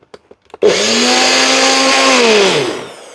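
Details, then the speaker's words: Blender motor base with a replacement fitting, after an earlier attachment sounded noisy with suspected worn bearings: spins up at once to a steady even whir, no rattle or grinding, then winds down smoothly; healthy. "We'll turn that back on. Try that again. That one certainly sounds better."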